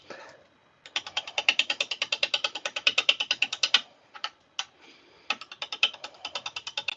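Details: Lathe turning a blank, best guess birch, with a spindle roughing gouge and tailstock brought up: sharp ticks about three a second in uneven bursts as the gouge meets the bouncing blank; unbalanced workpiece.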